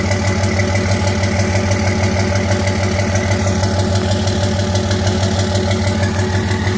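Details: 2005 Cummins diesel with white smoke: steady idle with a faint, uneven stumble about three beats a second; misfire from injector #3, which had passed testing, found by its hotter exhaust manifold.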